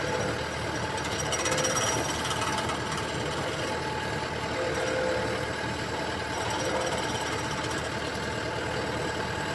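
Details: Komatsu excavator swinging; irregular rattling knock roughly four per second over the running machine, abnormal noise from the swivel joint area, cause unclear.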